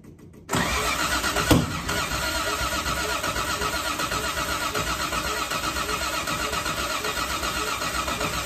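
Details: Old Toyota Crown: steady cranking about four pulses a second, never catches while distributor timing is adjusted; crank no start, weak battery and timing suspected, not confirmed.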